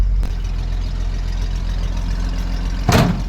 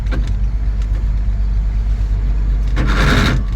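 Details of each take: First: 1963 Chevy 2-ton dump truck, 292 six-cylinder, 4-speed, revived after 15 years with points cleaned, timing set and carb primed, running on its own old tank fuel: deep steady idle, even rumble, one brief clatter near the end; healthy. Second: 1963 Chevy 2-ton dump truck, 292 six-cylinder, sat 15 years, running on fuel poured into carburetor bowl: low, uneven loping idle that stumbles and sags as bowl empties, not drawing old fuel from tank; fuel starvation.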